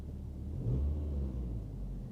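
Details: 1990s first-generation Ford Mondeo Mk1 museum car, engine heard idling from inside the cabin: soft, even low rumble, described as really quiet, no ticks or misses; healthy idle.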